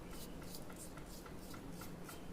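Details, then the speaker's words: Ventisilva fan new bearing spun by hand: nearly silent, only faint hand rubbing and room hum; the old bearing was noisy and no longer turns, causing the seized, noisy fan. "Esse aqui é o rolamento novo. Rolamento novo. E esse é o rolamento velho. O rolamento novo ele não faz barulho,"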